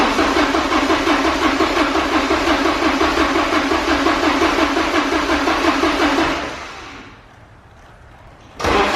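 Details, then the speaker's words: Porsche 944 sitting 10 years, only fresh gas added: steady cranking about three turns per second for six seconds, never catching; crank no start, fuel delivery suspected. "well of course we can't get that lucky so now it's time to start diagnosing engine fuel air spark"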